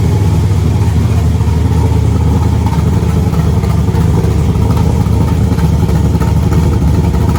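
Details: Freshly installed replacement LS1 V8, first start after the old engine threw a rod through the pan: deep, choppy idle with an uneven lumpy beat and no ticking or knocking; healthy engine with an aggressive cam.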